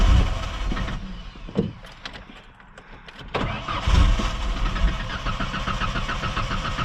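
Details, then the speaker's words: 1994 Ford Ranger with a gallon of Red Bull (mixed with vodka) in the gas tank: cranks, fires briefly with a rough rumble, then dies; owner suspects it got into the fuel pump and starves the engine of fuel. "Oh, it's like it fires up and then it dies right away because it doesn't get any fuel."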